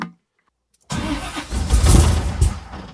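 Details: 1979 Camaro big-block Chevy with Powermaster starter, after cleaning burnt solenoid contacts: starter spins strongly after a pause, engine catches and rumbles roughly on two-stroke fuel primer; starter working normally.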